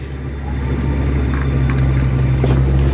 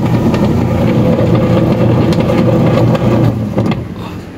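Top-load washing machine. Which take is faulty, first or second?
second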